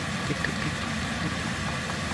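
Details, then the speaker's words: Vevor diesel heater in van, after fuel line, stand pipe, pump and filter install, running full blast: low even hum with faint steady fan whir, no ticking or surging; normal. "so once we get an actual face plate on this the only thing you'll hear is that fan running"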